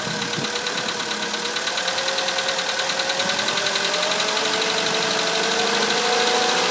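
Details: 2013 VW Polo Sedan (Russian build) at idle, noise most noticeable when cold: regular tapping about three per second over steady idle; owner thinks it is very likely an engine knock but is not sure.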